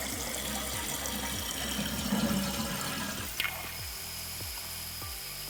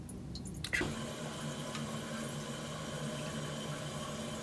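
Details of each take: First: Toilet flush after the flapper was replaced with a Korky rubber flapper and its chain shortened: a strong rush of water drains through, fades, then gives way to a steady refill hiss, a full, normal flush. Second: Toilet with a flapper not sealing, letting water seep into the bowl while the tank refills; a steady hiss and trickle with nobody flushing.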